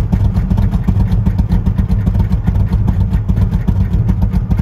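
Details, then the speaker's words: 1940 Mercury Club Coupe 1960s street rod with a 302 V8 and a pretty good sized cam, stored 50+ years: loud, choppy, lumpy idle around two and a half pulses a second, sounds like a real street rod; lopey idle from performance cam. "And it sounds like a real street rod."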